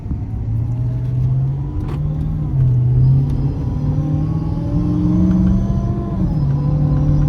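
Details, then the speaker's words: Dodge Charger R/T 5.7 V8 with a Whipple 3.0 supercharger, being tuned, under less than a quarter throttle below 50 mph: a deep drone with a loud whine rising with speed: normal supercharger whistle. "That whistle is loud. Woo! Let me play that back, see if I can hear that."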